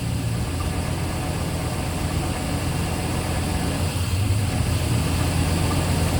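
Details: Work truck after roadside breakdown repair, top cover off, checking for leaks before oil and fluid change: steady deep idle with even low rumble, no knocks, misses or squeals; running smoothly.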